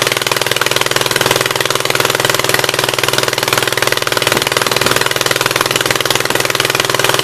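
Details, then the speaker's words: 1976 Gravely 816 twin with the choke held open manually, started on old but still burnable gas: lumpy, uneven beat about four pulses a second with a hollow miss, running only on the right-hand cylinder; owner is almost sure the other side's exhaust valve is stuck open. "It's only running on the right-hand cylinder. I'm almost 100% sure that the exhaust valve on this side is stuck open, so it would be nice if it would just tink and go in, but I doubt it."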